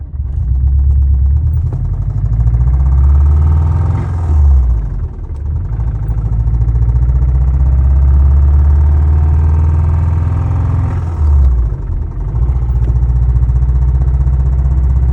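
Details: Original EJ205 turbo engine in a 2004 WRX, driving through 1st-4th gear: rough knocking chatter over a deep drone that worsened over ~36 hours; first thought an exhaust manifold leak; a timing-tensioner cause is being ruled out; cause unknown.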